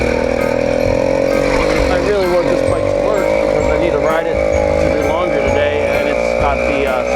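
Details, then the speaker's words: Newly ported 80cc motorized bicycle two-stroke, warmed to operating temperature on a cold day: struggles to make power, uneven wavering note that sounds like four-stroking and bogging; owner unsure of jetting, plans to try leaning it out. "to me it sounds like it's struggling to make power but at the same time it's also sounding like it's for stroking"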